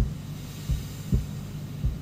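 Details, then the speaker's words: Repaired 1989 Yamaha PSS-780 keyboard, idle with input gain raised: low thudding heartbeat pulses about every half second over a faint hum and whine. Stereo Chorus causes the pulsing and it stops when switched off. There is also a grounding oddity; the whine is possibly digital-signal interference. "it's got a heartbeat it's like Pink Floyd trapped in a keyboard if I turn stereo chorus off it stops there's also some grounding oddity going on there the stereo chorus it gives it heartbeat now that horrible troubling whining noise"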